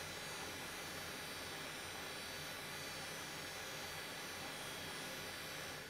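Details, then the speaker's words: Athlon XP desktop's old Western Digital hard drive, unamplified: steady loud hiss and whir with faint low hum, really noisy; being replaced by a cloned Samsung drive. "yeah it's um that's not really Amplified it's just um quite loud and when your head is sitting next to the computer it's it's really noisy"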